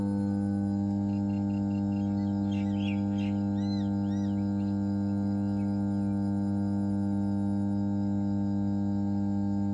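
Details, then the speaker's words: ABB 50 MVA, 33 kV power transformer energised: steady deep mains hum with even overtones, no buzzing or crackle, faint insects behind; normal transformer humming. "এখন আমরা যে সাউন্ডটা শুনতে পাচ্ছি সেটাই হচ্ছে আমাদের ট্রান্সফর্মারের হামিং সাউন্ড।"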